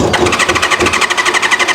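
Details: Newly bought track motorcycle: even starter churning at about ten pulses a second with no catch or firing; cranks freely but won't start, owner suspects blocked carburetor pilot jets.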